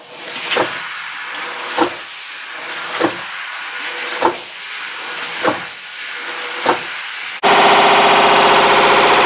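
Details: Hitachi BeatWash BW-D8KV top-load washer, built 2012, eight years old: sharp knocks about once a second, then a sudden loud harsh roar across wash, rinse and spin from a failing clutch, attributed to overloading with laundry; second occurrence.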